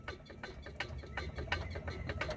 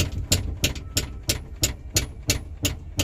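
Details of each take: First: 1982 Ford Mustang GT rocked by hand after tightening a loose upper control arm bolt: irregular rubbery squeaks and creaks, no hard metallic knock; normal bushing squeak of a 40-year-old car. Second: 1982 Ford Mustang GT after lowering, sway bar removed, driving, heard inside over the rear seat hump: sharp regular metallic clunks about three a second; suspected loose rear upper control arm hitting the floorboard.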